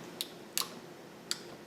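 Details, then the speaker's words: Pressure washer pressure switch with cover removed, micro switch lever pressed with a screwdriver: a few crisp, clean clicks as the switch engages; it works, though the owner suspects the switch is broken. "As you can hear there, it works."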